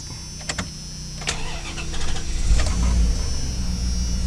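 A few seconds of uneven cranking, then the engine catches and settles into a steady idle; it starts cleanly.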